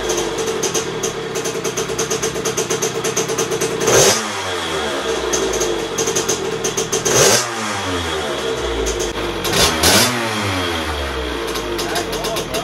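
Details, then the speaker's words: 2001 KTM 50SX two-stroke after carb upgrade, cold and not yet warmed up: burbles and sputters unevenly as throttle is blipped instead of crisply revving; running rich. "it's got a little sputter to it but it's not warm yet so it's going to be a little Rich"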